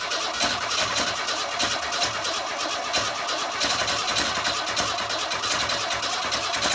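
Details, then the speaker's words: 1962 Ford Falcon old inline engine, points sanded and coil wired direct, running on sprayed starting fluid without a carburetor. Ragged, uneven clatter with irregular pops, trying to run wide open, unsure all cylinders fire: rough running. "well it started to pick up a little bit more I don't know what all cylinders are firing but well guys I think until I get the carpet on it that's about the best I can do because obviously it's trying to run wide open"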